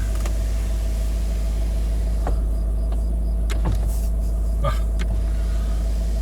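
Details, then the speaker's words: Range Rover L322 TDV8 after a battery replacement, engine idling: the window motor whirs in short runs and stops cleanly as one-touch down and up is re-learned after battery disconnection. Normal power window operation. "Push that one down, that's going down on the one touch. It's going back up on the one touch, it's as easy as that."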